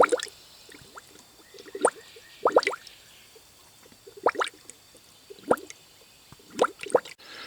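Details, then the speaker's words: 1999 Honda Accord V6 EX, about 160,000 miles, stone cold, cylinder two pressurized to about 75–80 psi: irregular gurgling bursts about once a second at the coolant filler as air pushes through, confirming a blown head gasket on cylinder two. "there we go through the ground comes a bubble in crude me so we do have positive confirmation that's solar number two has a leak"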